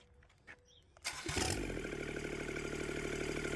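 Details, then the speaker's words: Scrap-yard Kubota D722 three-cylinder diesel after the injection pump rebuild, restarted with the exhaust manifold refitted: brief cranking catches at once and settles into an even, steady diesel clatter with no misses or knocks; a good runner. "Oh yeah, it's definitely going to be a good runner. I could listen to this thing all day. You know, this is music to my ears."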